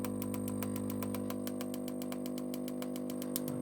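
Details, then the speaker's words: 1960 Philips 17TG100U 405-line TV, first power-up: sharp snapping about four times a second over hum and line whistle, from high-voltage arcing with a flash on top of the line output transformer. The owner fears it is the overwind. "oh there's a bit of a flash on top of that line output transformer so what's causing that i do hope it's not my overwind"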